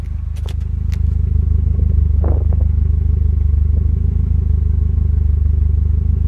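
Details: Volvo 740 B230FT petrol turbo at idle: lumpy uneven misfire, rough idle. High AFR reading is due to the LC1 sensor being set for LPG.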